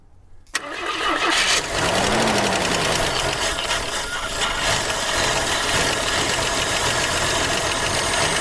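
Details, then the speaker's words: 1976 AMC Pacer, believed original engine, first start in 20 years using starting spray. Cranking gives way to uneven firing and a rough, clattery run with a rattle; the owner suspects the lifters aren't moving yet. "yeah well yeah she runs she does run don't she"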